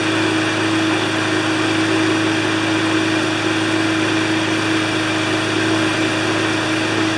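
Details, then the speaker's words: Briggs & Stratton engine with Pulsa Prime carburetor after a flooding problem from failing imported diaphragms, started with the crankcase ventilation hose off: steady, even drone with no stumbling or hunting, running smoothly. "okay that's absolutely perfect it started up"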